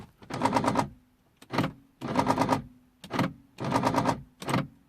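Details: 2003 Mercedes C220 W203 driver's door lock won't lock even with mechanical key: repeated rapid buzzing clatter every second and a half as lock actuator cycles without latching; faulty door lock actuator.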